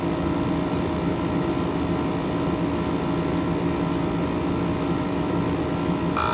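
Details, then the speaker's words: 12,000 BTU Frigidaire window air conditioner, recently repaired, running outdoors in hot, humid weather. A steady low hum and firm pulsing drone under a constant fan rush. The owner thinks the compressor sounds like a reciprocating type. It is running normally and cooling. "I know it's kind of random, but I'm not sure if it's just me, but this compressor kind of sounds like a reciprocating compressor."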